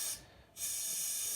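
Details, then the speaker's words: TapCooler counter-pressure bottle filler with CO2 at about 12 psi, valve pushed: strong, even gas hiss out the bottom, briefly stopping then returning steady; gas flows freely as intended. "you can hear the gas come out. So it's coming out the bottom."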